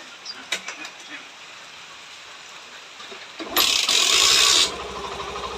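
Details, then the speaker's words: Hero Passion Pro BS6 after carburettor setting (previously needed 10–15 kicks and wouldn't rev fully): a few clicks, then starts on one kick with a short rev, settling to a soft, even idle. "यह देखें bike यानी की एक की की मैं start"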